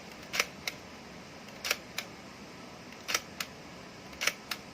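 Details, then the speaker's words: Fujica Single-8 Z800 movie camera with fresh batteries, switched to single-frame mode. Crisp paired mechanical clicks on each shutter press, four releases about a second apart: normal single-frame shutter operation. "So just slide this down. Just like that. And now when I press my shutter button, I can perform single frame."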